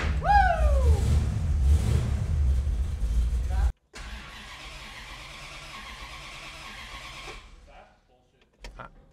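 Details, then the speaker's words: '64 Dodge 440 with 383 big block, revived after sitting 20+ years, freshly swapped 727 transmission: starter cranks steadily without catching, engine kicks only as key is released; owner suspects the coil or ignition box gets no power during cranking. "it's like trying to you hear that like kicks at the end I gotta check the I don't know that the wire is giving it power during cranking the coil yeah maybe it's starting when I'm letting off and it's already rolling"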